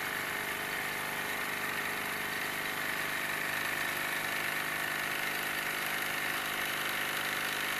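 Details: Wilesco D-18 tabletop steam engine running outdoors in a back garden: even, quick chuffing beat of roughly three to four a second, steady with no knocks; normal running.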